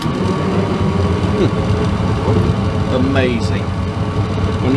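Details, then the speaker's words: Travel trailer furnace that previously got no gas (fan ran, tried to ignite) now getting fuel after repair: steady, even blower roar with smooth burner hum, no sputter or cycling; lit and running normally. "the furnace actually gets fuel it will light burn and make heat is that not amazing"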